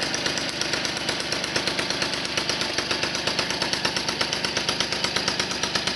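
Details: 1978 Motobécane 51 VS moped, engine seized after thirty years idle, fully rebuilt with new rings, bearings, oil seals, clutch, points and condenser, started on first pedal; crisp rapid two-stroke popping at fairly steady beat, no stalling or seizing noises, normal running.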